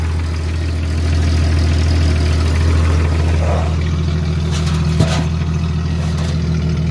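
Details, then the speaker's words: Jeep ZJ after replacing the rusted, rock-holed muffler with a new one: smooth, steady low idle with an even, fairly quiet exhaust note; only very minor leaks were found. "doesn't sound too loud over here either it's kind of nice"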